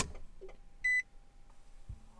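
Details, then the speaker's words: Infiniti G35 coupe after fuel level sender replacement, key cycled two or three times to purge air from the disconnected fuel line: a faint steady whine, a chime, then a low hum. Normal fuel pump priming. "so you'll hear you'll hear the fuel pump hopefully I'll pick it up turn it off again"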